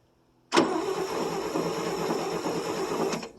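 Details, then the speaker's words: 1959 International B120 4x4 pickup, first cold start in about five years: about two and a half seconds of steady cranking that never catches; no spark, the distributor wire is off the coil. "all right no ain't got no spark no pull the cap off more Qui these points give or what everybody calls on the old YouTube land the old Morky flick"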